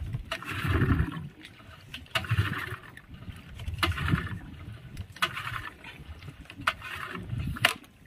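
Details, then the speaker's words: Yamaha 15 hp outboard engine, cranked after fuel priming with the choke on, fires weakly and unevenly with sharp sneeze-like spits from the upper exhaust and is very hard to start despite good ignition: leaking cylinder head gasket. "Sangat susah hidup. Kemudian di bagian knalpot bagian atas itu ada percikan seperti orang bersin, cis seperti itu bunyinya. Ini menandakan kendala seperti itu, ada kerusakan di bagian packing cock."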